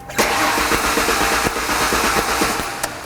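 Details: 1998 Ford Contour with a Duratec engine: steady starter cranking with even compression pulses but no firing; spark is present but there is no fuel pressure at the fuel rail Schrader valve, so it cranks but won't start.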